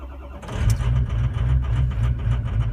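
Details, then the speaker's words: Cold start with coolant 37 degrees and oil 39 degrees on truck with suspected bad injectors: short crank, catches within half a second, settles into even diesel clatter; clean, healthy cold start. "know yeah it seems to be all right"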